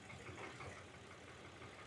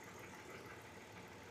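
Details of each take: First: Hyundai Veracruz returned a month after coil, spark plug and one intake gasket replacement with system-too-lean code; brake cleaner sprayed at intake gasket on cylinders 1–3 side: idle stumbles about three times a second, cylinder 2 misfiring heavily, vacuum leak at intake gasket. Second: Hyundai Veracruz, lean code, checked after intake gasket repair by spraying brake cleaner around the gasket: soft even idle with steady speed, no popping noise, no RPM change and no misfire counted; engine healthy.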